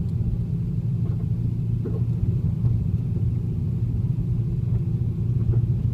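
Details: 2010 Camaro: a heavy low rumble with faint, irregular clunking knocks about every second.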